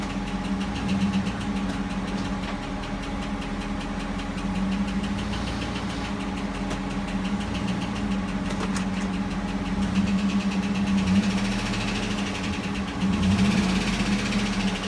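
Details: 2009 GMC Yukon Denali, Vortec V8 at idle: a light, fast valve-train tick that appears cold for 10–15 minutes, or after holding above 2,000 rpm, then disappears. Suspected: worn oil pickup seal in the oil pan starving the heads; fix is that seal, pan gasket, sealant and 5W-30 oil.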